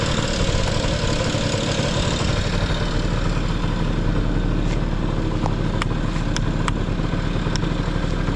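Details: Vintage Honda Lead 90 scooter (HF05): smooth, even low putter at idle with no knocks or rattles; quiet, healthy engine.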